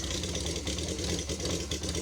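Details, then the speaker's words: Honda CB550 cafe racer with a 4-into-2 exhaust, cold engine with one of the two chokes on: four-cylinder idling evenly with a busy, slightly ragged exhaust beat, healthy but not yet warm. Normal cold idle. "It's a bit cold right now. One of the choke is on, the other one is not, but let's go around it."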